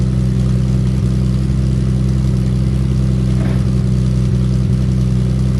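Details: Triumph TR6 with a new stainless back box (40 mm perforated core, fiberglass matting, 40 mm tail pieces) at idle: deep, steady low burble with no ticking blow or rattle. Healthy, even exhaust.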